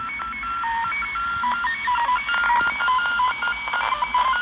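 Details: Ham radio receiving warbling tones that hop between several pitches many times a second over background hiss; the interference persists with everything in the room switched off.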